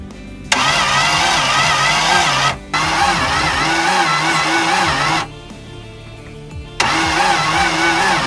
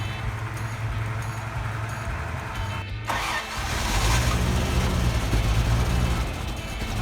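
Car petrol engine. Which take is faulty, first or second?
first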